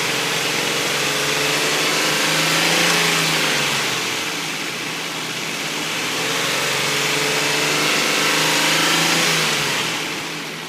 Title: 2004 Infiniti I35 engine knocking